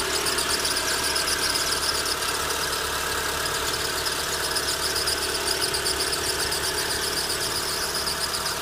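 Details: Engine idling with a steady high squeal over it and a faint irregular tick underneath; squeal source not pinned down.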